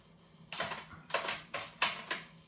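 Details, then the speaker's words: Sony TC-WR670 dual cassette deck in for repair: sharp mechanical clicks in bursts as forward play tries to engage but never runs, while reverse play and rewind work; apparently lacks force, belts and rollers suspected worn. "Відтворення уперед. Уперед не хоче, а назад працює."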